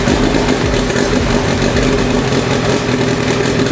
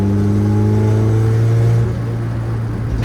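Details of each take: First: Honda Civic, freshly built four-cylinder LS VTEC engine, Precision 5858 turbo reinstalled: rough lumpy idle, running on about two cylinders. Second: Honda Civic, built engine with Precision 5858 turbo, Skunk2 Pro 1 cams, driving at about 5 psi boost below VTEC: steady raised rev with clean tone, then a short hiss on lift-off; healthy turbo spool.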